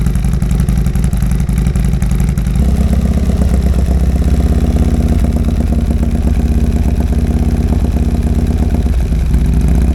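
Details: 2022 Harley-Davidson Road Glide just fitted with a Cyclerama CR483 cam, first start: loud, deep V-twin idle with steady lumpy lope, even and clean, no ticks or knocks; normal idle.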